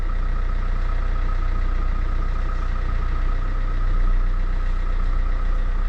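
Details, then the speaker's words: Opel Vectra C at idle right after replacing a power steering pump that whined badly and cut assist at full lock; wheel turned slowly, with an even low rumble and no whine or groan; new pump quiet and healthy. "Dobra, nie wyje. Jest dobrze. Jest cichutko."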